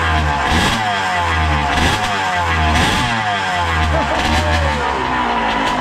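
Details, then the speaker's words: RM80 two-stroke bored to 135cc, warming up on a rich oil mix with its smoke calming as it warms: a crisp crackle blipped up and down several times, each rev rising and falling cleanly; normal, healthy warm-up. "Oh, you hear that when it was warming up? That sounds nice. It sounds very dangerous, which is brilliant."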